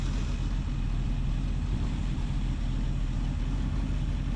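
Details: 1976 Ford Ranchero 500 V8 after new timing chain and oil pump install, warm idle with temperature around 190–200: even deep burble, no ticks or knocks, some blow-by noted; smooth healthy idle.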